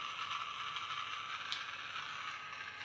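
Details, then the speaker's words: Battery toy car for a Magic Track set, running on three AAA batteries. Thin, fast ratcheting chatter with no low hum, like a small gear skipping on its shaft; the drive gear is slipping on its axle, with a broken gear still to be ruled out on teardown. "well I also feel it sounds like gear is slipping so might have to fix that I'm really disappointed"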